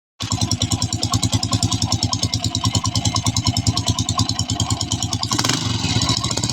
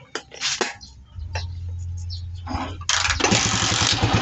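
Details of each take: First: Honda TMX 155 single-cylinder motorcycle clanks loudly at idle with a hammering clatter; cause traced to a broken clutch damper and loose rotor bolt. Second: Honda TMX 155 single-cylinder motorcycle after repair of loose rotary and loose clutch damper that caused strange noise: handling clicks, low hum, starts and settles into steady even smooth idle.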